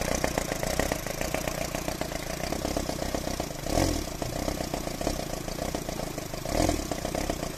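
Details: Engine idling unevenly with two noticeable stumbles a few seconds apart; engine misfire at idle.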